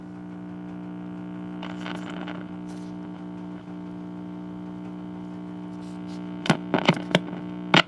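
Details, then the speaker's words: 1964 RCA 4RS34 AM/FM tube clock radio powered through a 40 watt bulb, no sound complaint; steady low mains hum with clicks and crackles, no station reception, suspected tube sockets, a tube or IF transformer. "well it hums that's kind of cool"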